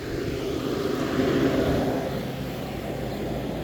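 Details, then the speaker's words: 1998 Whirlpool 10,000 BTU window air conditioner, compressor running, drawing 10.2 amps: a steady low hum with even fan rush and a smooth compressor drone, no rattles or knocks. The unit runs normally and sounds good. "It sounds really good. Just listen to it for a second."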